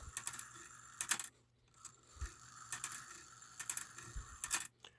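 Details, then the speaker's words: Antique cuckoo quail clock, about 1900-1914, after a brass washer tightened the count wheel, high note lever disconnected, low note lever still bouncing: bright metallic clicks in evenly spaced bursts; strike train working properly. "I don't have the high note lever connected uh activated anymore that's why you don't hear that all the bouncing you still have the low note lever bouncing but the wheels nice and tight"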